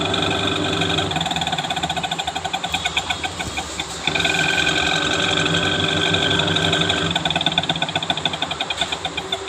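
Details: Panasonic Active Foam 8 kg washing machine, empty drum on spin: harsh rapid knock about four times a second over drum whir. Noise in drive during spin; gearbox and motor being checked, cause suspected, not confirmed.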